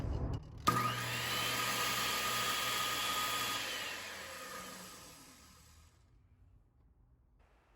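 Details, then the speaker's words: Skilsaw 77 worm drive circular saw, previously slow and sparking, cleaned: snaps to even high whine, holds steady speed, spins down smoothly without rattle or grinding; decent speed after repair. "the one that I cleaned up really does sound like it's at a decent speed and working good maybe not perfect but for the condition it was in I think it's pretty amazing"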